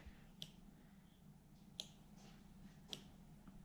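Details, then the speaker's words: Toyota 1UZ-FE V8 with a 40/40/40 ECU and new conversion loom (Soarer/SC400): earthing the air-conditioning wire triggers the AC relay, giving three crisp single clicks about a second apart. Normal relay switching. "And when that is supplied with an earth, it will trigger the AC relay. You can actually hear that relay clicking on and off."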